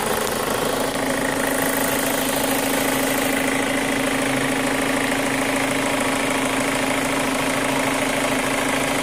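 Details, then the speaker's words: 2005 Chevy Cobalt LS 2.2L with a P0304 cylinder 4 misfire code, idling: a light, quick tick of roughly three a second over a steady idle; new since purchase, and the owner suspects a lifter, unconfirmed. "That's the sound I mean, and it sounds like a lifter. Because this motor never did this before when I got it."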